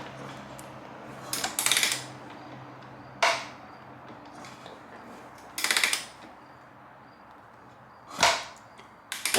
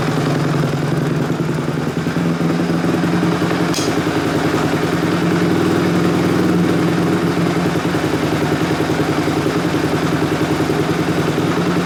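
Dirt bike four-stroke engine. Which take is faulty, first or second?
first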